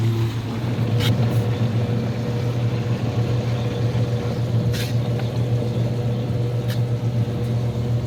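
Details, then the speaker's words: Two-speed hot tub pump running on low speed after refill while purging air: a steady low hum, smooth and even with no rattle or grinding, no water leaks; pump sounds healthy. "good no water leaks listening for air or anything you can hear when there's air in a pump like that usually"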